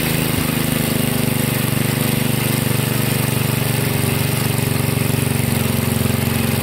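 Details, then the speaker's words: 1963 MTD Lawn Flite lawn tractor single-cylinder engine after replacing all ignition components, idling: steady even low thumping, no misses; normal idle, though clutch not working (takes off in gear). "oh well I was interesting the clutch is not working put it in gear and it just takes off but it's running okay"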